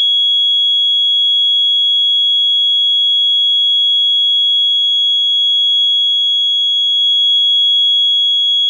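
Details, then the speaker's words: Late-1970s ADE Security Systems keyswitch burglar alarm control panel during exit delay countdown: single piercing high tone holds steadily without cutting off; exit delay never finishes, so the panel fails to arm and can't serve as an intruder alarm. "so you get the idea it just won't finish counting down and I'm that's literally the problem with it"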